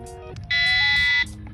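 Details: EA ONE D9X Plus power wheelchair reversing: one steady high beep, clean and even under a second; rear reverse warning beep working normally, can be muted by pressing horn and deceleration buttons together then power cycling.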